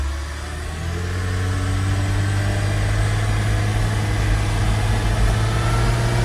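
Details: Porsche Boxster 986 during a test drive after repairs, brought to a complete idle in first gear, where it usually dies. Here it holds a smooth, steady low hum with no dips or stumbles.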